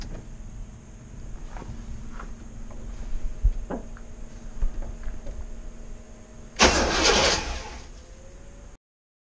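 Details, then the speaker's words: 1973 GMC 2500 Camper Special 454, parked 13 years with old gasoline: starter turns the engine over unevenly, three to four beats a second, but it never catches, lack of fuel suspected; crank no start. "She turns over. Awesome. No fuel. Sounds like old Jimmy wants to run."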